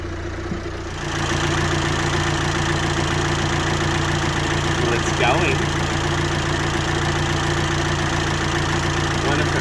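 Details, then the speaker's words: VW Amarok after cracked cylinder head replacement and bent valves, first start after cranking to prime injectors: steady, even idle, no dash warning lights, no knock or misfire; runs normally. "has your lights on the dash nothing none it sounds like it's running fine"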